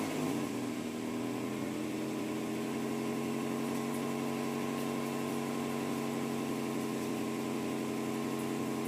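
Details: Acura Integra GS-R, second start after engine rebuild: smooth, even idle with a steady hum, no knocks, ticks or misses; healthy normal idle.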